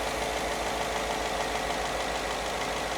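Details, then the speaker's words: Ford F-150 V8 with 240,000 miles, after new spark plugs and air filter. True cold start after sitting. Even, steady idle settling down from high idle, barely any shake. It sounds like it is firing on all cylinders. "She's purring. Legitimately purring. Barely any kind of shake to it."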